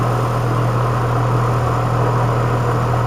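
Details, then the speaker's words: Five-year-old Goodman GPH package unit; blower and outdoor fan run but no compressor, capacitor looks slightly bulged: a steady low electrical hum with no run-up as the compressor tries but fails to start; failed run capacitor. "that little buzz right there let's see if we can hear it again wait a few seconds listen for a buzz that's it that's the compressor trying to start it's not able to start because it doesn't have the capacitor"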